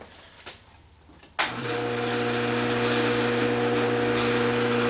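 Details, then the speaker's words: Rotary phase converter spinning up after a switch clunk: steady hum of constant tone, noisy but even; normal running. "not horrible noisy, but it's noisy. And then this is a belt drive variable. Nice and smooth."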